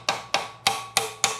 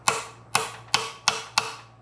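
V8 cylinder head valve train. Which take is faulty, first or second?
second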